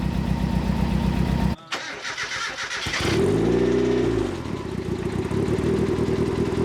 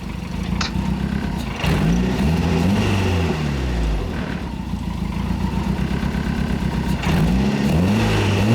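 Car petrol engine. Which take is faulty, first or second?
second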